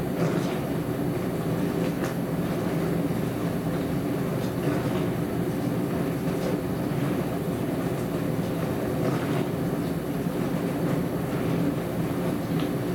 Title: More noisy dishwasher